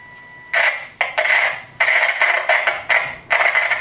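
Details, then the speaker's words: Commtron NATO FM military radio, rusty case, receiving AM and FM; quiet hiss suddenly leaps to loud choppy bursts as the knob turns, a worn volume control jumping rather than rising smoothly. "whoops as you can hear the volume control has added its day um we'll drop it down to a more reasonable level"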